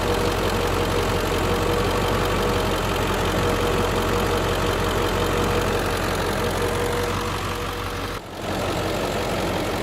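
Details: 2003 Ford Excursion Limited, 7.3L Powerstroke diesel, idling with the hood open: a steady, even clatter and constant low rumble with no misses or odd knocks, and no smoke. It runs smoothly and healthily.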